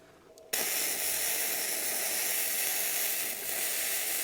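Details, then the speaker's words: Bestarc gasless flux-core MIG welder at about 120 amps, on a 20 amp circuit that had tripped before: steady even bacon-frying crackle for the whole bead; good normal weld. "Wow, that sounds great. Oh, the fuse. Boy, that's laying a weld in there. Check this out. So that's laying in a good weld."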